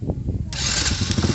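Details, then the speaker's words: Old Honda Supra motorcycle with bodywork removed, previously not starting, after a custom wiring mod was tightened: a solenoid click, then the engine catches at once with a quick even beat, showing the starter now engages properly. "Jadi sama saja, ketika tombol ditekan, akan terdengar bunyi klik, dan arus dari sini akan ot"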